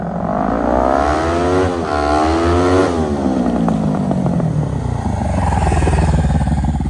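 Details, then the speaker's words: 2003 Kawasaki Ninja 500R twin in a mini bike, dual carbs, warmed up on a test ride (second gear, about 40 mph): revving through gears with sharp overrun pops; backfiring, owner suspects lean mid-range, may recenter the needle. "Needs a little bit of tweaking. Still tune the carbs a bit more. As you saw, it's backfiring. I think it's running a bit lean in the mid-range."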